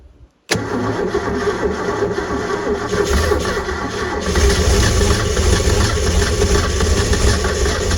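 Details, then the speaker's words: Supra TS6M ski boat engine, sank and sat about four years, fed fuel into carburetor bowls: cranks briefly, catches right away and settles into a steady even low rumble, little blow-by, pumping water; runs fine. "all right we know it runs sounds like it runs pretty good I only saw a little bit of Blow by and it's pumping water over here"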